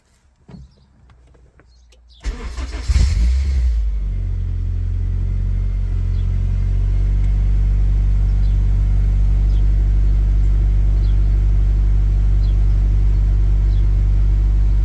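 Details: Honda/Acura engine at idle right after throttle position sensor recalibration to 0.49 V closed throttle. It previously went lean (about 16:1 AFR) and dropped rpm at the slightest throttle. It starts quickly and settles into a smooth, steady idle, running normally.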